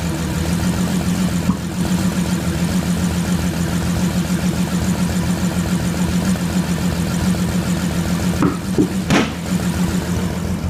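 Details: Bentley Flying Spur 6.0 W12 twin turbo: uneven idle with a stumbling pulse about 86 times a minute; misfire caused by poor spark plugs.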